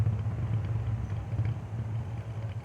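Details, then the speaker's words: Deep rolling rumble pulsing in a steady beat from a badly flat-spotted, out-of-round tire. It is easily mistaken for a wheel bearing, so check the tires before replacing a bearing. "wow you hear the tire noise"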